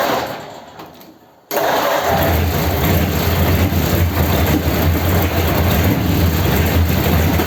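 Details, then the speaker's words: Hot rod's 286 cu in flathead (3-3/8 in bore, 4 in stroke), first start after correcting crossed plug wires on cylinders 3 and 4: brief crank, then a lumpy run with irregular pops and bangs. Plug leads and the borrowed truck distributor are to be rechecked. "well it started and it sounds good when it runs it's a bit poppy bangy isn't it"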